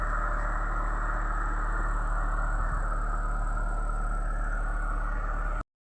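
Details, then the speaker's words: Chevy Niva petrol engine at cold start (16°C), after a fix near cylinder 1 with a spring tightened; it previously knocked cold until about 60°C: smooth, even idle with no knocking. "Ну, блин, я не ожидал, что вот из-за него сейчас поставил свой старый, наверное, видно будет Бон, который производитель Том. Я пружинку немножко переделал, подтянул, сделал потуже. Вот. В общем, что хочу сказать, будет стучать. Причина вот, пожалуйста. Всё работает классно."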